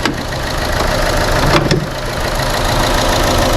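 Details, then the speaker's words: Chevrolet Sonic small turbo engine, P0300 and reduced-power warning: shakes and stumbles when revved, then revs cleaner but cuts off at 3000 rpm while parked; uneven stumbling idle; cylinder misfire, likely water in the plug well after engine wash. "aunque tiembla cuando lo acelero cabecea un poco y luego se escucha la aceleración un poco más limpia y se frena o se detiene en las 3000 rpm"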